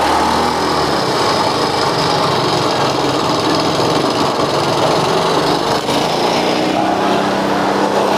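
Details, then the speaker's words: Honda Grand motorcycle brought in dead, with black fouled spark plug and heavy fuel use despite a strong ignition coil: revs with a choked, flat, smothered exhaust note. The exhaust had been modified to sound quieter, leaving it restricted. "Mungkin maksudnya suaranya biar bi halus Mungkin maksudnya suaranya agar biar halus ya tapi yang terjadi adalah kembung Mas Bro"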